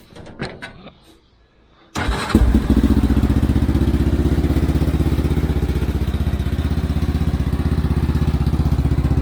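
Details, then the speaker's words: Xcel mini dirt late model (micro sprint based) first start after the carb was cleaned: catches on the first try and settles into a steady, even thumping idle at about four beats a second. Normal start and idle. "literally starts right up so crazy"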